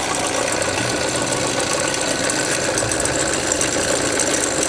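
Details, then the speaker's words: Chevy Z71 truck at idle after a rough start: a busy, even metallic rattle that doesn't change over a steady idle. Suspected internal engine fault, possibly a belt tensioner or bearing; source unclear. "Wow, that is so difficult to diagnose from standing over it. That could be internal. That could be internal. It also could be a belt tensioner or a bearing."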